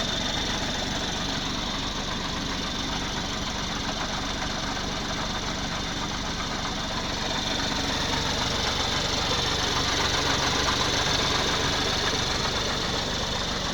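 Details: 2019 BMW X4 30i G02, idling stationary after coolant loss and a top-up: a fast, even tick about four times a second over the engine hum. The owner is unsure if it is normal; cause unclear.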